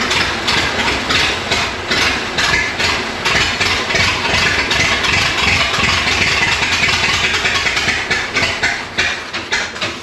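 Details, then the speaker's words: Rescued abandoned Ford Model T, no fuel pump, running on moonshine instead of gasoline: rough, uneven chugging about two beats a second that fades and falters; starts but won't keep running. Owner suspects a steady pressurised supply might help. "Ran on gas would not run on moonshine. It started, but that was it."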